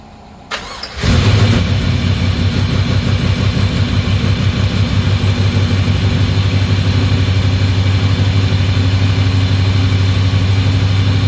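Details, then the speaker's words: GTO with built 6.0 V8, first start, untuned, mass airflow untuned, little fuel, earlier backfires: cranks, catches after a second, settles into steady even low rumble about 1100 rpm; healthy idle. "go whenever about 1100 RPM"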